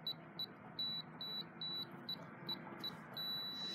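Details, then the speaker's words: FE595 keypad padlock in normal use: eight short high beeps as code keys are pressed, then a long steady beep. "then after you hear three beeps and the button blinks three more times"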